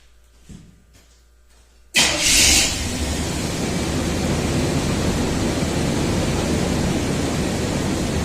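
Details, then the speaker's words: 1989 Chevy Cheyenne 4WD 5.0 plow truck with replacement used coolant temp sensor reading 21 °C: catches straight away, brief rev flare, settles to smooth even idle; normal cold start, failed sensor suspected of false cold reading. "it doesn't get any nicer than that"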